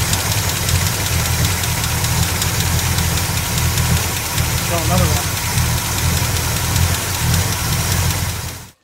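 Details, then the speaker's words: 1977 Chevy C10 truck after replacing a broken rocker arm and pushrod. Lumpy, uneven idle with stumbles like a misfire; a damaged valve is suspected, not confirmed. "it it's running rough almost like a misfire and we think we quite possibly may have a damaged valve"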